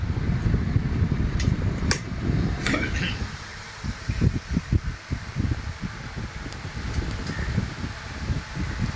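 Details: Old rusty mini table fan from a scrap shop, restored with fully new wiring after checks of motor winding, capacitor and switches. Its small motor hums low and even with a few light handling clicks, spinning up smoothly and working fine.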